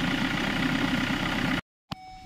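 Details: Hyundai Creta after alternator fan belt reset for battery-draining no-charge fault, charging measured about 14.1 V at battery: steady even idle, smooth hum, no knock, tick or belt squeal before switch-off; normal idle.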